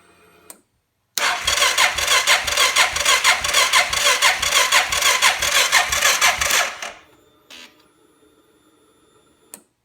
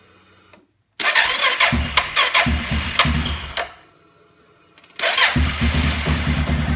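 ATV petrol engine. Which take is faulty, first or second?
first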